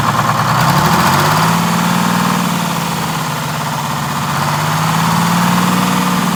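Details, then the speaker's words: 1947 Silversides bus (Sages 3751) with Detroit Diesel 6-71, warm idle: speed sags then climbs back over a few seconds, a hunting idle from a misadjusted governor buffer screw, being adjusted during governor work to get shutdown working. "yeah i just want to make sure i get the hunt out of it real easy but you did did you notice that's what i was doing yeah oh yeah that's just the buffer screw yeah it's gonna have to all be adjusted in order to get this to work to the right position"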